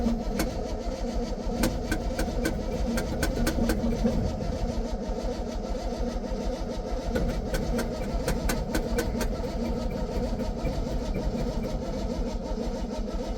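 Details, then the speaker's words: 1966 GMC pickup after sitting, choke possibly not hooked up; long, slow, uneven cranking that never fires, with a gas smell. Cranks but won't start; owner suspects not enough fuel, and possibly a constricted rubber fuel line. "Nope. I don't think we got gas, at least enough to run. Nope. I mean, it really, I smell gas."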